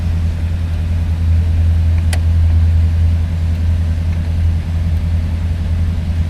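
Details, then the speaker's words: 1967 Cadillac DeVille convertible with V8 and automatic transmission: fires right up, then settles into a deep, even, low rumbling idle with no knocks or misses. "Let's go ahead fire her up. As you see, she fires right up."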